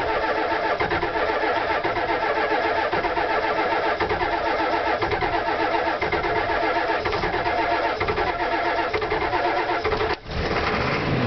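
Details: Ford F-350 diesel on a 60-degree day: long, uneven crank with a labouring starter before it catches near the end, showing smoke; hard starting, cause not pinned down.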